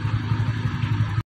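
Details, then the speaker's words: TVS Ntorq 125 scooter after engine noise repair (suspected magnet one-way clutch noise): short burst of steady, even low thrum with no rattle or knock before cutting off; sound now good, running smoothly. "Gas यह हमने पूरा fighting कर दिया अब इसको sound सुनते हैं कैसे साउंड इसमें आया जो प्रॉब्लम था वह प्रॉब्लम किया की नहीं [प्रशंसा] तो गैस साउंड तो अच्छा हो गया"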